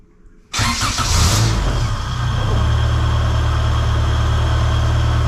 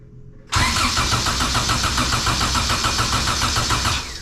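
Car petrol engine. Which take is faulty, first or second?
second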